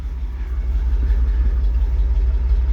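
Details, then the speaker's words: Old gas V8 manual 4x4 pickup at a used-truck inspection, idling after a jump start, heard from the tailpipe: a deep, even low rumble with no misses. A good, quiet engine, though one pulley wobbles a little and makes some noise. "not too bad it's a good noise listening for any noise right here you want a nice quiet engine sounds quiet"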